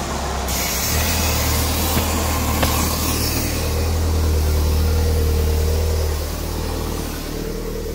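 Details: PT Cruiser GT turbo engine after repair of a failure that made it sound like a diesel, valve cover not fully tightened: engine climbs to a strong, even drone and settles back with no clacking; revs cleanly.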